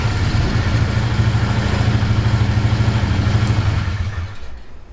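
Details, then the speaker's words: Polaris Magnum 325 single-cylinder ATV with air cleaner and airbox lid back on, which changed vacuum and cured lean fuel starvation; thumps evenly and steadily with no stumbling or surging before winding down, running healthy. "Here's the weird thing. It didn't start running good until I put the airbox lid on there. To me, that's really strange. So it's like it changes the vacuum just enough when you put this thing back on here that it makes it happy. It doesn't try to run out of fuel anymore."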